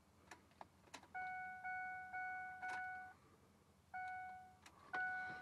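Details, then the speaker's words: Ford F-150 no-crank, even with a substitute battery fitted: turning the key gives a few dry clicks and a repeating dash chime with no cranking; starter not turning the engine. "as you can see doesn't really do much [Music] turn the key doesn't do anything"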